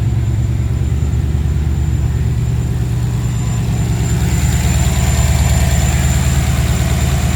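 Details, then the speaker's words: Ford Capri with Mercedes M113 5.0 V8 swap on MaxxECU, about 13.8 AFR, 32 psi oil pressure: deep, even idle, no stumbles or misfires; smooth, owner unsure why timing reads weird. "She's running smooth, very smooth. No misfires. Beautiful."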